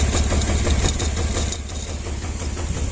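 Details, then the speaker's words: Honda Vario 110 (first model) scooter that stalls when the horn or turn signal is used: an uneven, stumbling, ragged idle that still stutters with the horn unplugged. "Oke, nggak ada masalah, tapi motornya masih tetap berebet ya. Motornya masih tetap berebet."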